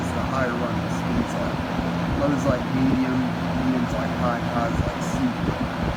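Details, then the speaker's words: 1970s Kmart Lakewood K-223 20-inch box fan with Marco motor, after fitting a missing spacer that caused a bearing-like knock: steady even hum with soft airy whoosh, no knock or rattle; normal running. "so now this thing uh runs smoothly without any knock or anything thank goodness"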